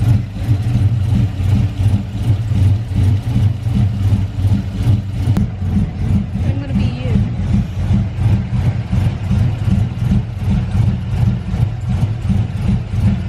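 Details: Big-cam GM 5.3 V8 in a truck, first start after swap: lumpy uneven idle throbbing two or three beats a second; the four DOD cylinders are not firing because the DOD valley connector was unplugged.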